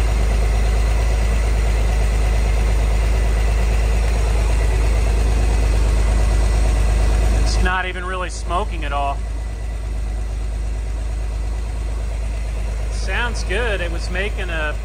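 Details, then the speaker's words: 1963 Chevrolet Corvair, parked since 1975, air-cooled six now running on its own fuel pump: even steady idle about three pulses a second, no knocks or misses, earlier noise suspected from fan or generator less audible; normal idle. "I don't hear it as much now as I did before but it's running off its own fuel pump right now I don't see any fuel leaks it's idling nicely"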